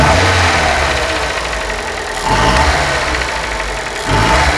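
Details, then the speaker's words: Chevrolet Corsa/Celta engine at idle with a fast, light woodpecker-like tapping that tracks engine speed. It is described as typical piston pin or piston skirt play, not the camshaft. "isso esse barulhinho é o tipo típico de saia de pistão pino de pistão ou saia que tem folga"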